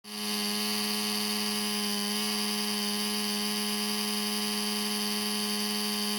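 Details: Laptop cooling fan suddenly became noisy, with the CPU overheating and shutting down: a constant, steady-pitch high buzzing whine from spin-up; cause unknown.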